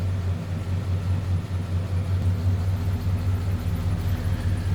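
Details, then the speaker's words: 1939 Ford Model 85 pickup, flathead V8, heard from the rear at the exhaust, nothing over the top: low, even idle burble with steady rhythm, no knocks or misses; normal idle. "Slip around to the back so you can hear this run. Nothing crazy over the top for exhaust."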